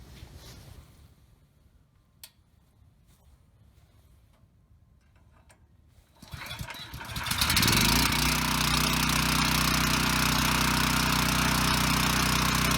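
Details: Ryobi RY905500 5500-watt generator bought with a broken recoil rope, started with no load: it fires after about six seconds and settles into a steady drone without surging. It runs and makes power, but one side has no output (tripped GFI suspected).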